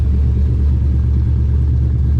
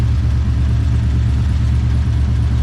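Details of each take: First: 240 after dyno, IAC wires swapped: deep, steady exhaust rumble at a smooth idle around 1050–1070 rpm with no hunting, though an odd noise is suspected to be belt slip or the IAC. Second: Nissan 240 drift car with V8 after dyno, nearly out of fuel: deep steady rumble at fast idle with an uneven, lumpy pulse; odd engine noise, owner unsure whether belt slip or idle air control valve.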